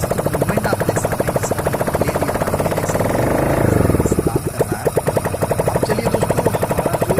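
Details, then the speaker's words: 100cc single-cylinder motorcycle right after a full engine overhaul with new piston and cylinder, running without exhaust pipe or silencer: a crisp, even beat that picks up cleanly on a blip and settles back; it runs healthy. "आप बिना silencer के इसकी आवाज़ सुन रहे हैं, यह इतनी मधुर है, दोस्तों।"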